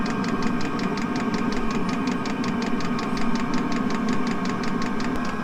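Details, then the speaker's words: 5 kW diesel heater in fire truck camper, just started, running flat out: steady whirring roar with fast even pulsing over a low rumble; loud but normal, quietens once the inside warms up. "that's what it's like when the heat is running flat out it's quite uh quite a noise but it soon quietens down once it warms up inside there"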